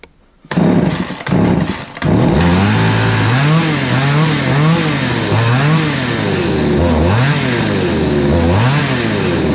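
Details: Craftsman 3.7/Poulan 3700 two-stroke chainsaw with new carburetor and fuel line, after adjusting the high-speed screw to cure a bog: snaps cleanly from idle to full rev and back, over and over. It starts easily, idles well and has good power.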